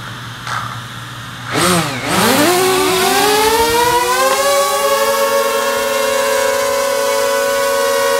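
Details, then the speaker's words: DJI Mavic Air with its original propellers, held in hand with motors at max power: after a brief dip the whine sweeps up and settles into a steady high pitch; normal, healthy motor noise. "okay that's actually a fairly good test to hear you the noise that this makes the motors were at max power and so that kind of gives you an idea of what it sounds like"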